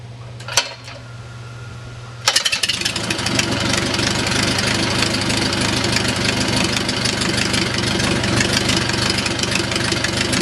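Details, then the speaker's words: O-84 (4A084) converted to fuel injection, restarted warm after high-power run: short crank, then a steady even 600–650 rpm idle with crisp exhaust pulses; normal idle. "there's a normal 600 to 650 rpm Iowa without 18"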